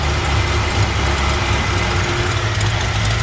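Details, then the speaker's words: 1955 Ford F100 with 302 V8 and automatic, hood open, engine running: deep, even, healthy idle, steady with no knocks or misses but possibly just a touch high; idle speed maybe slightly high, being dialed in. "it's a really nice healthy sounding engine idle sounds like it might just be a touch High"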